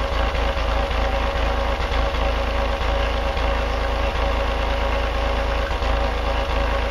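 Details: Denyo DCA-15SS-N genset, 1.6 L 3-cylinder Nissan diesel (18 PS at 1500 rpm), over 30 years old, cold just after first start in years, smoking a little: steady three-cylinder clatter, even idle, low constant drone; normal idle, no load.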